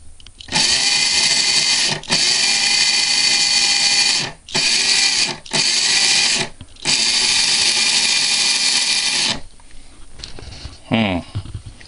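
Several clean bursts of steady high motor whine that spin up and stop crisply, with no sparking crackle or grinding; the motor sounds healthy.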